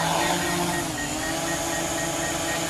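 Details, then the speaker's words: DJI Mavic Pro with new Master Airscrew props, hovering: steady high prop buzz, pitch dips briefly then holds even, no roughness; about 100 rpm difference; stable flight; normal hover. "nice and stable in flight rpm for 6470 backwards"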